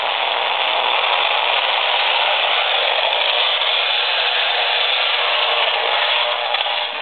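Loud steady hissing crackle floods the AM radio once the laptop boots, its electronics radiating interference into the receiver.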